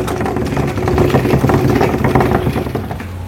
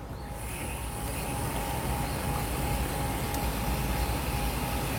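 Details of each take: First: Water supply pipe vibrating from water hammer when the tap is opened: fast rough rattling buzz with a low hum. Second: Steady rushing water with a faint constant tone and no banging or shuddering. The water-hammer pipe vibration is gone after fitting a sealed, capped upright pipe fix. Flow stays smooth as the outlet height is varied.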